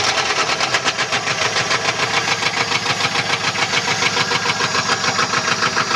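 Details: 1994 LT1 V8 at idle: sharp, fairly regular heavy metallic knocking about three per second, from a bent connecting rod.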